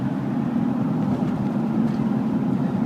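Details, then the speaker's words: 2000 Ford Explorer Sport 2-door 4x4, 4-speed automatic on a test drive, accelerating up to 50-55 mph; engine drone pulls steadily under load with no flare, slip or clunk, shifting cleanly up through the gears. "Smooth shifting 4-speed automatic transmission. You can see it goes right up through the gears."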